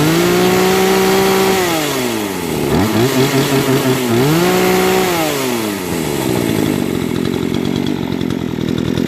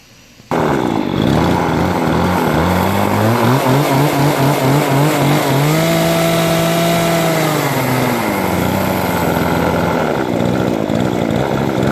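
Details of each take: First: Brand-new Remington RM-4620 20-inch chainsaw that stalled from sawdust in the carburettor, after carb cleaning and high/low mixture screw adjustment: idle climbs cleanly to a screaming rev and snaps back, crisp throttle response, no bogging. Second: Nearly new Remington RM-4620 20" chainsaw after sawdust got past the air filter into the carburetor and the carb was cleaned: it starts but won't idle, revs surging and sagging unevenly, with the high/low mixture screws suspected out of adjustment.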